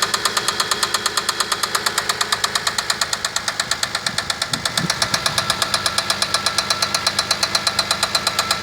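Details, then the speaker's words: Toyota Kluger 1MZ V6 at idle: sharp metallic knock about five per second, evenly spaced; engine began knocking less than 100 km after an oil change, suspected serious bottom-end knock, cause unconfirmed. "Стук двигателя 1 МЗ. Смотрите, парни, что берете. После замены масла, не проехал 100 километров, стуканул."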